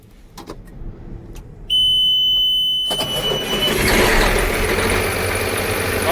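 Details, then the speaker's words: Farm machine diesel started to check charging amid battery issues: buzzer, brief crank, catches quickly and settles into a steady run, charging 13.3 volts; normal cold start. "it started. No problem. Let's see where our voltage is. 13.3 volts."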